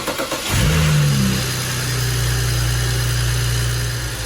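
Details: 2008 BMW 335xi first start after installing a new high pressure fuel pump, valve cover and oil cooler gasket: cranks, catches quickly and settles into a steady, even idle with no knocks or ticks; runs healthy.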